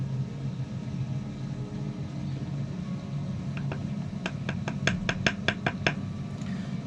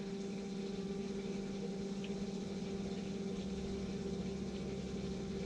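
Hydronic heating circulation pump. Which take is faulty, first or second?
second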